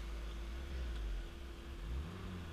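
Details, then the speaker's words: One-owner 1991 Alfa Romeo Spider, 39,000 original miles, ignition cap, rotor, wires and plugs replaced: driving with a smooth, even engine note and a gentle rise and fall in revs, no knocks or misses; healthy engine. "really nice and smooth they had all the original ignition components still on it"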